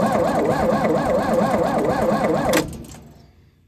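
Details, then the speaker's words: Lincoln SAE 300 welder with Chevy inline-six, on full choke and throttle: steady rhythmic cranking around three beats a second that never fires; fuel pump heard working, no spark traced to dirty ignition points. "yeah won't fire I'd say it's definitely getting fuel"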